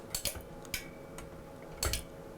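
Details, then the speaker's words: McAllister MW160 arc welder that stopped working after the owner replaced the fan: uneven dry relay clicking at switch-on that stops when the new fan is disconnected; 50 V measured, suspected short in the replacement fan. "When I disconnect this wire, just if I switch on this, you can hear switching, but if you disconnect,"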